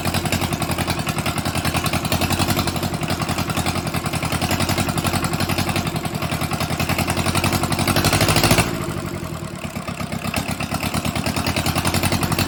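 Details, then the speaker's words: Mitsubishi D1800 II diesel, first run after cracked cylinder head replaced, with glow plugs: uneven clatter at fast idle, swelling then sagging and recovering; owner suspects air still in the fuel system and possibly a governor issue. "Oh my goodness. Well, there we go. It's a runner. I have, sounds like I have some air still in that fuel system."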